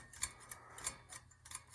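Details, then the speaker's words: Boiler hydronic heating zone valve on zone 4 after repair of a no-heat zone: quiet uneven ticks and clicks over a faint hum as the actuator closes normally. "Okay. So now our 4 zone should be closed. Right here. And there you go."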